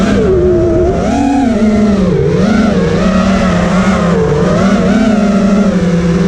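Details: Quad with T-Motor F80 2500kv motors (owner says one bearing is bad), motor timing set to high, regular PIDs: buzzing motor tone wobbling with throttle, with a faint warble riding on it. Some oscillation remains, though reduced; motor heat moderate.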